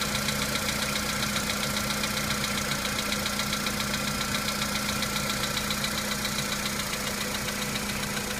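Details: VW Polo Sedan engine at cold-start idle: sharp, regular light knock about four per second over the engine note; knock fades as the engine warms up, cause not identified.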